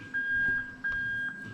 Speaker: there's your reverse beeps that indicates the reverse circuit inside the car is absolutely fine